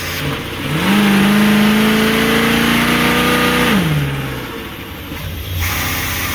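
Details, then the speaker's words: Old motorhome on a road test: revs climb, then drone flat and sag despite throttle, bogging and taking no throttle; owners suspect it is running out of fuel and might need a fuel pump, not confirmed. "They don't like the beans! I think it's running out of fuel. We might need a fuel pump."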